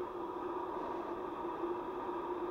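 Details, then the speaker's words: Blower with freshly replaced bearings, run at 10 volts rather than full speed with the port blocked by hand to mute wind noise: low even hum with a faint steady tone, no grinding or rattle. Bearings quiet and normal. "so I try to block the port so we can just hear the bearing noise not at full speed but at 10 volts so got it's hard covering it with one hand but yeah that's basically you don't hear that much"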